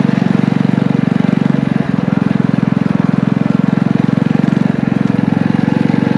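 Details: Small single-cylinder power-washer engine with muffler on a DIY motorized trike, torque converter clutch, ridden under load: strong even exhaust beat, steady deep tone, no stumbling or misses; running well.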